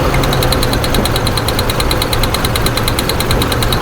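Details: 2008 Ford F-150 4.2L with waste-spark ignition, idling uneven and lumpy with a loping stumble and ticking. New plugs, wires and three coil packs did not fix it; a bad coil driver in the PCM leaves one coil dead, causing a two-cylinder misfire.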